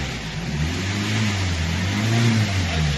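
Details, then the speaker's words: Hyundai Creta diesel with a starting complaint: it cranks a long while before catching and running. The 4th injector shows low pressure at the return pipe, so the injectors are leaking fuel back and causing the long crank. "చూశారు కదా, vehicle అనేది long crank తీసుకొని start అవుతుంది అనమాట."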